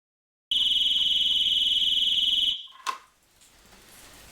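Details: Triumph Trophy 1200 off the road six years: shrill, fast-pulsing alarm siren at about four pulses a second cuts off abruptly, then a click; alarm won't disarm with the fob despite a new fob battery.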